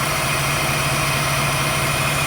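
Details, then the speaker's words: 1989 Pontiac Firebird Formula, sat 17 years, after injector and ignition work, run without cooling hoses connected: steady, raised, even idle with no hunting, running better but idling high; owner suspects a vacuum leak. "how about that ah she running a lot better idling kind of high uh we don't have any uh water cooling in this thing so going to shut her down"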